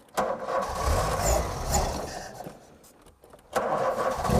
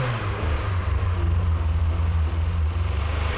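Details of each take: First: 1988 VW Golf Cabrio GTI engine catches, revs unevenly and dies, even with brake cleaner sprayed into the air intake; suspected fuel starvation from blocked filters or pipes. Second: 1988 VW Golf Cabrio GTI after its starting issues were fixed, fuel pumps priming at key-on: the engine starts and keeps running with a deep, even pulsing rumble, no misses or stumbles; healthy running.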